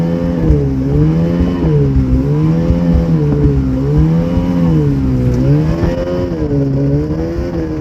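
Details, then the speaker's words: Ultranautics Jetstar jet boat engine with carburetors at wide open throttle: note rises and falls about every 1.5 seconds, surging after ~30 seconds; owner suspects fuel delivery problem emptying the carb bowls. "so long story short you can go wide open no problem but only for about 30 seconds or so and then it runs out of fuel you can hear it surging like the bowls are emptying on the carbs"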